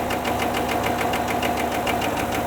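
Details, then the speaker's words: 2016 Chevrolet Tahoe, GM L86 V8, 120,000 km: sharp, even tapping four or five times a second over the idle, like hammering a nail; valvetrain knock from a failed cylinder-deactivation lifter, heads to be removed and the broken part replaced. "Если прислушаться, мы слышим звук, чем-то подобный ээ забиванию гвоздя молотком. Проблема ещё известна с самого первого поколения, самых первых выпусков, с пятнадцатого года."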